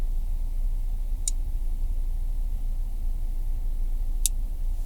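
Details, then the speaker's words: Sinotrack ST-907 GPS tracker relay wired to the car battery clicks sharply about three seconds apart over low car rumble after the engine is blocked, cycling for about a minute before cutting off; normal behaviour. "когато блокираме двигателя, изключването на двигателя, то релето не се изключва веднага. В рамките на минута то щрака напред-назад."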